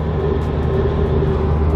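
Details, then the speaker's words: Toyota Supra after fitting foam tape behind the rattling door panels, driving over bridge bumps: only steady low road rumble and dull thumps, no buzzing or rattling from the door trim; no interior rattle. "so far i'm not really hearing anything on the door panels we have some bumps we're hitting on the bridge"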